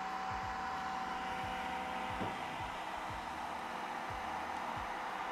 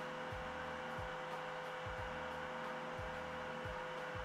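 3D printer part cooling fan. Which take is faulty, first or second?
second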